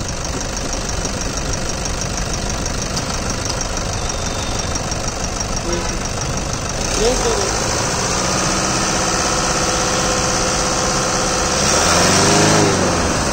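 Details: 2014-2015 Toyota Fortuner AWD at idle with a fairly regular tapping knock, about three and a half per second, on top; source not pinned down.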